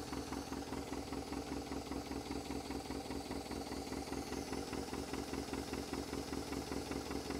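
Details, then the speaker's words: International Scout 80 (1963–65), sat over 10 years, first run, fuel hand-fed by bulb bypassing the pump, with oil pressure: even idle with a sharp puffing tick about two and a half per second from a known exhaust leak; motor otherwise sounds good. "And I knew it had an exhaust leak, but the motor sounds pretty darn good."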